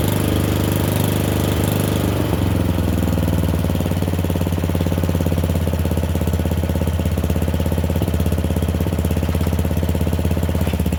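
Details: Murray Select 30" riding mower test-driven up and down a driveway: steady single-cylinder thump with an even, unbroken beat, no knocks or misses; running okay, a little better, though the owner notes carburetor and gas tank issues.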